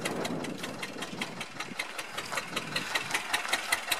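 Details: Rebuilt 1999 Metro Listeroid 6/1 single-cylinder diesel genset under test, heard outdoors at the exhaust pipe outlet: steady, evenly spaced thumps about five a second with no misses or knocks; running smooth and healthy.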